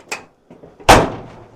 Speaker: Solid, opens, shuts, no more noises. No more noises.